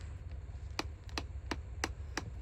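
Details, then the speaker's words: 2018 Hyundai Elantra 2.0L automatic, removed front left (driver's side) CV axle flexed by hand: crisp clicks about every third of a second over low hum, the play heard when driving; worn, loose CV joint clicking. "So that's that sound you hear when you're driving down the road. Some don't quite sound right and you got a front-wheel drive vehicle. Probably your CV axle."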